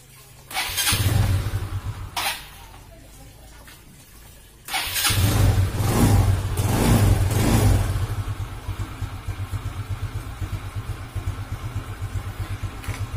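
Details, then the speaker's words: Yamaha Xeon GT125 fuel-injected scooter: engine blips and surges unevenly, then settles into a low, loping idle that wavers as if about to die; unstable idle from a dirty idle speed control valve, linked to an unclean air filter. "ini kendalanya kematian stasionernya itu tidak tidak stabil seperti ini pemirsa"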